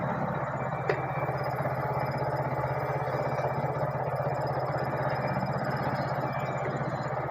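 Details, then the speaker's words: Yamaha R15 V3 after a new stator coil was fitted: even, steady idle with no humming or bearing-like noise; charging reads 13.74 V at idle on a run-down battery. "சவுண்ட்ல்லாம் அருமையா இருக்கு. எந்த விதமான humming noise bearing noise வரல."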